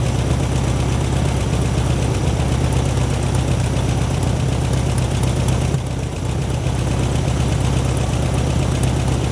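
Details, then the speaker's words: 1972 VW Super Beetle on its first start after rewiring, fuel gauge reading empty and engine smoking from two-cycle oil: deep, steady chuffing idle with an even beat and no knocks or hunting; idling smoothly, possibly on carburetor fuel only. "listen to her she curves she purrs"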